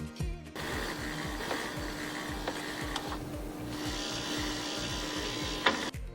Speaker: And the smooth whirling sound is made by the pump motor refilling the ice tray with water.